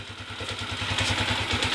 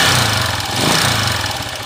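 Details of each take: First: Honda TMX155 single-cylinder motorcycle: even steady idle thump with no knock or tapping. Normal quiet idle, carburetor idle being adjusted. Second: Honda TMX155 single-cylinder motorcycle before repair: harsh, loud rattling clatter at idle with rough shaking; worn connecting rod and crank bearings, later replaced along with timing gear, follower and pushrod.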